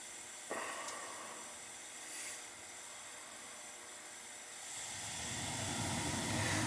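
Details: Gas boiler that would not fire, control suspected bad: a soft click, then a quiet hiss that swells into a steady rushing roar over a few seconds; the burner lights and holds.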